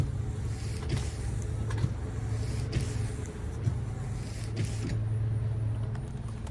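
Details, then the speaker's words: Car that won't start, wipers stuck on, suspected failed module behind the glove box: sharp clicks about once a second over a low hum with no cranking; owner suspects a hydrolocked or locked-up motor. "you can hear it clicking trying to start. So, I don't know if it's just the motor's locked up."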